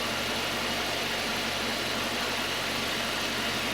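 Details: 2.0 Citroën C4 idling smoothly after six days of cylinder head repair at a machine shop. Faint low hum under steady fan hiss, no ticking or knocking; the engine runs normally after the head fix.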